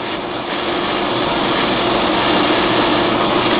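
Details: Gateway ALR-9200 server with hot-swap RAID 5 drives: steady, even whooshing drone with a faint hum slowly building; normal server fan and drive noise.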